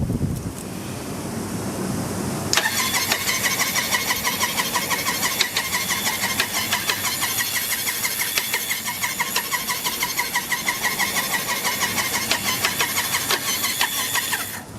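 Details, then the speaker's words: Triumph Trophy 900 replacement engine, never heard running, spun on a refurbished starter with no plugs and no carbs fitted. Steady chatter of about three beats a second with an occasional uneven clatter mixed in, source unclear. "What is that occasional clattering sound?"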